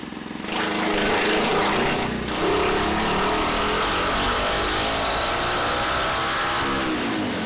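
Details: Freshly built Tillotson 236R kart engine, full-throttle dyno power run. A sharp rasp climbs smoothly under full load with no stumbles or flat spots; a clean pull, though power came in below expectation.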